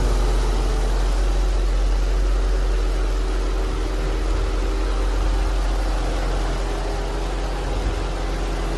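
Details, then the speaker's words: Infiniti M45 VK45DE at idle after replacing the noisy idler/tensioner pulley and a drive: smooth, steady low idle with even rhythm, no chirp or whine from the belts; pulley noise gone. "does it make that noise anymore so it's just that pulley right there that was making a sound"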